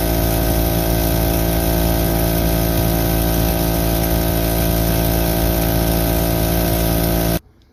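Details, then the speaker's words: Harbor Freight Central Pneumatic air compressor after a top-end rebuild kit: even pumping thump and constant hum until it cuts out at pressure. Before the repair it only reached 35-40 psi slowly with weird noises; it now works normally. "As you can see, it just went straight up to where it's supposed to be, turned off, everything worked good."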